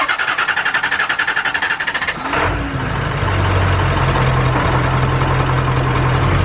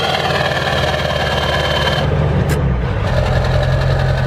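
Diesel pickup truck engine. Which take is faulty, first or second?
first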